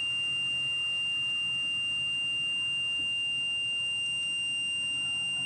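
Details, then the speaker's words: 2008 Workhorse Adventurer Limited 37GL UFO/R26 motorhome, HCU brake system: a steady high-pitched buzzer pulsing almost four times a second as pressure is released to zero via toolbox software during HCU removal. "So now using the software, toolbox software, I'm going to lower or remove the pressure in the brake system, and you'll hear it."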